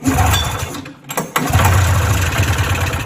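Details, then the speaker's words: Polaris 340 snowmobile, high mileage (10K miles), in bad shape and barely running: catches on the pull and settles into a low, slightly uneven two-stroke burble when cold; rough cold running, needs choke. "oh he's a good runner CH it have to give her some choke"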